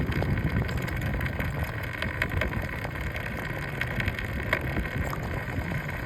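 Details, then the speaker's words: Riding, a vehicle with a front wheel rattle present since day one: uneven light clatters over the rolling road noise, from the front wheel. The cause is unknown. "That voice is coming from front wheel from the day one."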